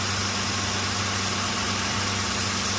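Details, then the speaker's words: Mitsubishi Nativa (Pajero) V6 that wouldn't start for almost 2 years, cranking only despite good fuel and spark, now started after resetting out-of-time timing belt to TDC; even, steady idle, low drone with slight hiss, no stumble or misfire. "So there is no doubt that I can start the engine. Now the vehicle started now."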